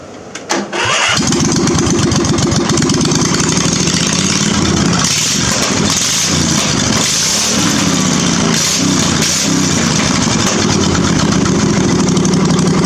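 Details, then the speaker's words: Briggs 21 hp V-twin LT1000 mud mower with no exhaust fitted: brief crank, then catches into a loud, raw, crackling V-twin bark with uneven revs; normal running on open ports. "I'm going to lower it down now so we can hear it without exhaust, with the first part of the exhaust, and with all the exhaust. Okay, let's fire it up, and this is with no exhaust."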